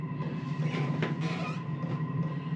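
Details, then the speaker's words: Chinese 5 kW 12 V diesel air heater, first start; steady low hum with even fan whir, no misfires or surging; lit and burning, blowing heat, running normally. "okay all of a sudden it kicked on and it started sounds like it's burning"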